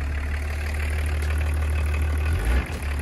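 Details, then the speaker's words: Roughly 30-year-old BMW diesel at idle after being revived from a no-start. Deep, steady drone dips briefly as the automatic gearbox is shifted into drive and reverse; loud but even and healthy. "ну реально старый мотор конечно работает громко но работает чисто мне так кажется по крайней мере"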